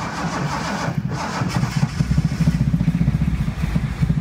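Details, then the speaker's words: 1976 Datsun 280Z fuel-injected, first trial start after sitting, fuel pressure present: cranking turns into steady even firing as injectors work, then it dies; mouse-packed foam blew out of the exhaust, throttle possibly not returning. "it goes it's running [Music] is going up as the injectors are starting to work it just died on me"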